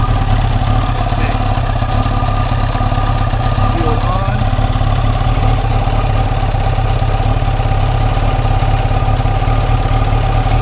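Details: 1989 Kawasaki ZX-10 four-cylinder, sat about 12 years, replacement fuel tank, run on leftover fuel in the carbs in a first will-it-run test: steady, even idle with smooth low burble, no knocks or misses; runs fine.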